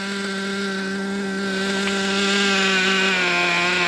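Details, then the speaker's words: Traxxas T-Maxx nitro RC truck at idle: a thin, fast buzzing that sags and wavers in pitch, sounding ready to die. The idle is set too low; only the low-speed needle is to be touched. "I mean that idle's pretty darn low right now I mean you can hear it just just wanting to shut off basically"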